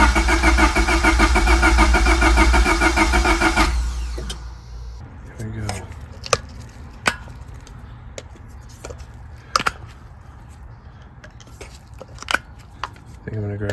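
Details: Honda Civic first start after engine work, with fuel primed: it catches immediately and runs evenly for a few seconds, then shuts down to light ticks. A clean start; a small coolant leak at the intake manifold fitting remains.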